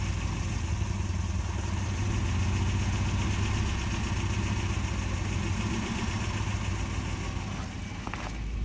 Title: 1993 Volvo 240 rough idle, hesitation